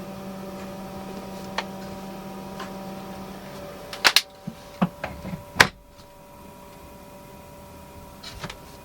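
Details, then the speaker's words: Newly installed diesel heater in a camper van, set to 22–23, running with the vent cover closed: steady low harmonic hum, a little louder than expected but quiet enough to sleep with, plus some handling clicks; normal running. "A little bit louder than I'm used to. It has a hum. Just kind of has like a harmonics hum, like a I can sleep with that noise."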